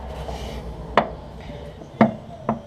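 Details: Datsun 1200 with a sloppy, loose steering front end: the wheel is rocked by hand, giving sharp hollow clunks about once a second with quiet between; the idler arm bushing is worn and has play.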